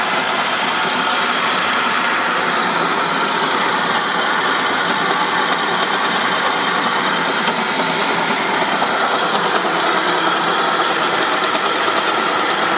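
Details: 2003 Saab 9-5 at idle: a harsh, steady metallic rasp with no clear beat, coming from the engine. Metallic grinding noise, cause unclear.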